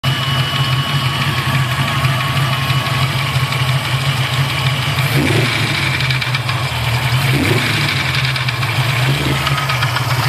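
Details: Freshly assembled Mustang 347 stroker V8 at steady idle with a light, fast tapping from the top end; owner thinks it is a lifter, not confirmed.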